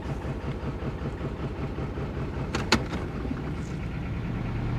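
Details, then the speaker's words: 2000 Toyota Celica GT 1.8L in drive, severe misfire: cylinders one and three dead from faulty ignition coils (coil swapped from two), lumpy stumbling low beat, camera shaking; codes P0302/P0300. "now it's running real bad as you can see my camera's shaking both cylinders are currently misar severely we have two dead"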